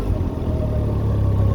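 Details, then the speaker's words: Can-Am Ryker 900 three-wheeler rolling slowly forward in a parking lot on light throttle: steady low engine hum, even and smooth with no knocks or whine; engine and belt drive sound healthy. "and now we're moving forward see we're not going fast we're just going slow since we're in the parking"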